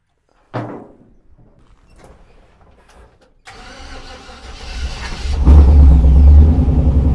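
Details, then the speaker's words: 1948 Mercury pickup, first start in 50+ years, electric fuel pump showing pressure: after a few dead cranks it catches on fuel poured into the carburetor and roars up unevenly; carburetor suspected gummed up, not getting fuel. "So, it worked when we poured fuel down the hatch. So, let's try that again."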